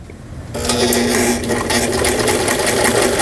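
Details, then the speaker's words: Old (about 30 years) Taiwan-made Brother-type home sewing machine, 120 V, repaired after not sewing at all: even, quick stitching chatter on straight stitch, no knocking or grinding; sewing smoothly. "스트레이트 스티치라고 나와 있네요. 직선 바느질이라는 뜻이죠."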